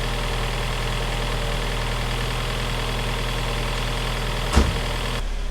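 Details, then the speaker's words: NA Miata just after valve cover gasket and cam angle sensor O-ring replacement, long-sitting car: steady idle with a light, quick lifter tick; the lifters are suspected collapsed from sitting, and the tick is improving with each start. "I can still hear that lifter tick, but I tell you what, every time I start this thing, it sounds a little better and better."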